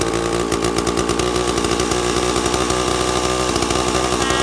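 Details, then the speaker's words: Two-stroke chainsaw with an impulse-diaphragm carburetor being tuned by ear at no-load high speed. With the H jet set slightly rich, the scream has a warbling, burbling edge. "so it's a little bit thick a little bit rich and you'll hear it as I tuned it here"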